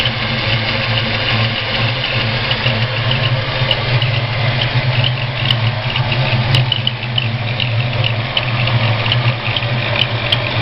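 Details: Ford 302 V8 at idle: thin high whistle-squeak from cylinder 1 valvetrain; it stops with both rockers removed and returns with the exhaust rocker installed; owner suspects a bad roller, not confirmed.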